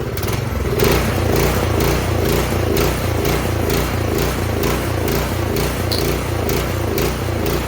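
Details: 208cc Troy-Bilt snowblower engine: it throbs unevenly, swelling and sagging about twice a second and dieseling instead of holding a steady idle; surging idle from a dirty carburetor pilot jet, fixed by cleaning the carb.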